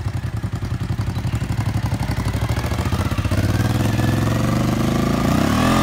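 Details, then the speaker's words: 1997 Suzuki TL1000S V-twin, new fuel pump, repaired muffler, first ride: uneven low thumping about four pulses a second, labouring before a late rev climb; bogging under acceleration, owner suspects misrouted airbox vacuum hose. "I got to run a bit bitter but it was still bogging out and I think it's something to do with this thing here"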